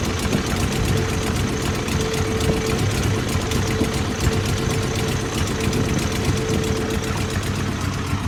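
Uneven, lumpy idle with an irregular low beat and a faint steady tone on top; a rough-running four-cylinder, cause not yet clear.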